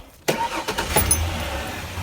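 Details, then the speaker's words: 1994 Ford Ranger XLT 4x4 after new MAF and temperature sensors and regapped spark plugs: quick crank, immediate catch, even steady idle, revs well. "starts right up it idles nice it's nice and even it revs up really good so uh I think changing that map is what it needed"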